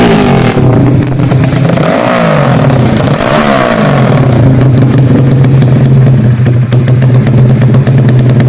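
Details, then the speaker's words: Karisma built to 160 cc with a racing camshaft, PWK 33 carburetor, 29/24 valves, GL CDI and open pipe: revs drop back to an uneven, stuttering idle with a loping beat. The lumpy idle comes from the camshaft. "Kedengarannya seperti mesinnya tersendat-sendat. Jadi, bagi yang bertanya, itu karena poros bubungan (camshaft)."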